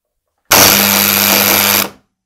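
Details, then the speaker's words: Faulty magnetic contactor (motor starter) switching on: loud harsh buzz with rattling chatter for about 1.5 seconds; typically caused by a dirty core, risks coil overheating and burnout; fixed by disassembly and cleaning. "вот как работает неисправный контактор который сильно гудит"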